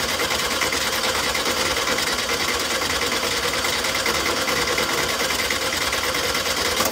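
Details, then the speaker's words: VW 1600 air-cooled engine after adjusting its Solex 34 PICT carburetor with a parts kit (no full rebuild): fast, even clattery idle with busy valve chatter, holding steady without stumbling; normal idle, running much smoother than before. "Running way smoother than it had been. That's impressive."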